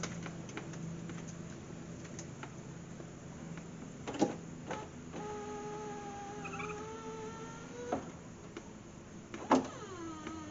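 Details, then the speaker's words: BMW Z3 (E36) window regulator with the door panel off: weak motor hum broken by sharp snaps and a clunk. The pin holding the glass pops out of the worn runner bushing or slider, which looks broken with a piece missing. "nope something well i saw it fall it popped that baby right back off of there so i don't know if it's just broken"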